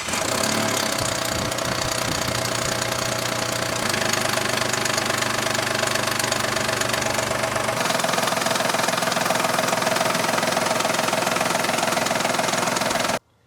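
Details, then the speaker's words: Jeep Liberty 3.7L V6, 3,000 miles after a head gasket and cheap timing chain kit, one hydraulic tensioner failed and the reused 123,000-mile original tensioner suspected: a quick metallic chatter over idle; timing chain rattle. "I hope it's a hydraulic tensioner that's gone bad, because I've got a timing chain rattle."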